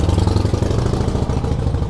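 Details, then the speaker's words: 1946 Harley-Davidson FL Knucklehead, first start in 20 years: lumpy but even low V-twin idle beat, steady rhythm, no knocking or clatter; well tuned and healthy, normal idle (clutch stuck). "Wow. Oh, you've got this baby tuned right."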